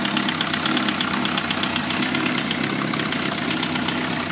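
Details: Suzuki GSXR 1000, 33,000 miles, no FI code, 175-180 psi compression all cylinders, leakdown negative: fast light ticking at idle, more prominent in the head and coming and going; owner suspects valve train; cause unknown.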